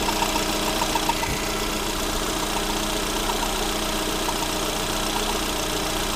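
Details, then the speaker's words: Lada Granta 126 engine after full rebuild (bored block, 82.5 pistons, new bearings, timing kit, valves): idle with a constant dry scrape over the running note; tensioner pulley rubbing crank pulley, scrape gone after loosening alternator belt. "О, скрежет ушел. Получается, натяжной ролик задевал шкив коленвала."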